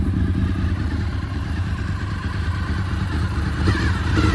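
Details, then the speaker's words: 2003 Honda VFR800 first start in eight years, water coming from exhaust: steady low idle, even beat, faint whir from gear-driven cams; engine sounds healthy. "that's just water coming out of the exhaust look at this guys it's running listen to those gear driven camps guys listen to"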